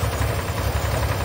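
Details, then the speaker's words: 1986 Oldsmobile 98 Regency Brougham on ethanol-free fuel, now staying running: deep, uneven, pulsing lopey idle with a heavy choked rumble; owner is certain the catalytic converter is bad, and it is seen glowing. "i've got it to the point where it'll stay running now definitely that cat is bad there's no doubt in my mind listen to it"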